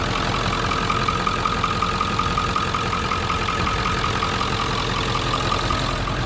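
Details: 1997 Ford F-350 regular cab 4x4 diesel; steady even idle with usual light clatter, no knocks or misses, normal idle.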